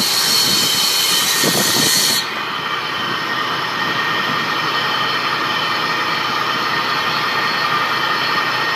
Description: 2002 Nissan Xterra, VG33ER (supercharged) / strange noise under the hood / What's this?